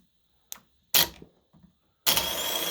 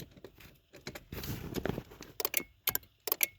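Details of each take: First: Starter motor from a 2013 Acura MDX on the bench, solenoid throwing the gear toward the flywheel then the motor spinning: sharp solenoid clacks then a short even whirr, engaging and returning normally; normal starter solenoid engagement. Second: 2013 Acura MDX with key turned, starter relay under the dash by the pedal bracket: sharp, dry clicks about twice a second, no cranking; relay switching but starter not turning.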